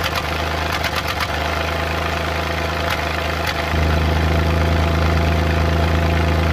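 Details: Suzuki Multicab F6A at idle: irregular "Tak...Takatak...Tak" taps and skipped beats with no fixed rhythm, random engine misfire.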